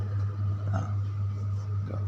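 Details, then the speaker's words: Home-built amplifier in wooden box, left channel at maximum volume with input unconnected: loud steady low hum with faint crackling bursts; right channel quiet. "suara gemerisik. Volume maksimal. Inputnya bahkan belum terhubung."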